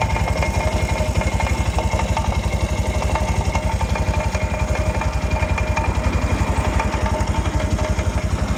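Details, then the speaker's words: 200cc Italika (Zongshen RX1) motorcycle on stand, engine running with faint metallic whir and whine at the front sprocket; worn drive chain and possibly worn sprocket suspected, chain replaced. "tiene un rito en la cadena muy raro el rollito lo hace aquí a la altura del piñón"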